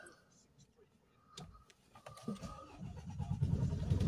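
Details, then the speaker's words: Mercedes Sprinter 2.1 diesel that would crank but not start (P008700 fuel pressure too low, DPF codes), after refitting fuel pump fuse 6 and ignition cycles: brief cranking, then it catches and runs evenly; live data shows rail pressure 250, within 200–300. "start and back on live data there boom we have the fuel pressure backwards should be 200 to 300 is on 250 there"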